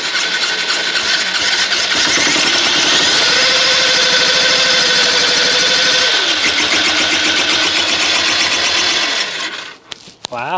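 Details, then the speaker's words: 2008 Honda CBF125 bought blown up, on pressing the starter after cleaning corroded battery contacts: a whining start, then a harsh, rapid metallic clatter at about four a second; bottom-end bearings or other serious internal damage are suspected. "okay well I don't know what's wrong with that engine I think it's probably the bottom end bearings or something significant but that engine is never getting used again"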